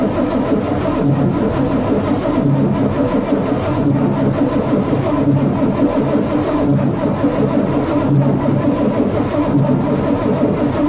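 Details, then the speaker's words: Intercamino machine first started in 23 years with ether: a loud, high, steady roar with a slow surge every second or so, never settling to idle. Operators feared a runaway but suspect the ether kept it revving high. "we thought it was about to run away but I think it was still high revin because of the ether"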